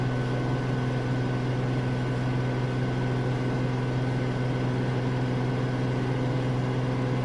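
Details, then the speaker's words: Samsung AddWash front-load washer at a rental house, spin at about 1250 RPM ramping toward 1300 RPM; steady low hum with faint constant tone, surprisingly quiet, no thumping or grinding, normal spin. "I do believe we're at 1250 RPM. Surprisingly, it sounds pretty quiet."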